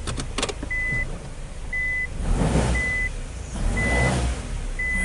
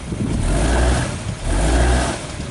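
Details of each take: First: Car with a customer complaint of loud knocking while driving, held on the brake while shifting gears with chassis-ear sensors on the axle, ball joint, spindle and cradle: a few sharp clunks under the reverse chime. Cause: bad axle at the CV joint, replaced. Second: Car shifted into forward and reverse during a chassis-ear/oscilloscope test for a customer's knocking complaint: low engine rumble swells twice with no knock or clunk; the cause turned out to be a bad axle at the CV joint.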